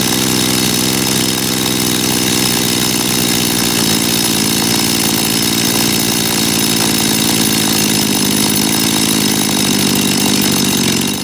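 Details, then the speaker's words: Dolmar chainsaw, carburetor just cleaned, tachometer on the ignition lead: fast, high buzzing idle because the idle (S) screw is set too high, so the chain turns. Screwing it out lowers rpm until the chain stops. "ich starte jetzt gleich den Motor und ich habe mal das Standgas über die s-schraube so eingestellt dass die Sägekette sich auf jeden Fall mal mit dreht damit du das mal sehen könnt"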